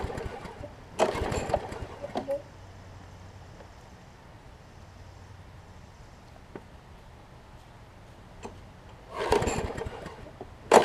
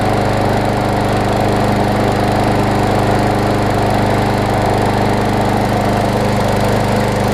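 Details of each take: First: Troy-Bilt push mower, Briggs & Stratton Quantum engine converted from auto choke to primer bulb, pulled without priming: several sharp pull-cord bursts, none catching. Cranks but won't start; owner suspects water in the fuel. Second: Troy-Bilt push mower with Briggs & Stratton Quantum engine, auto choke converted to primer bulb, primed and started: strong steady buzz at constant speed, no misses or bogging; running properly.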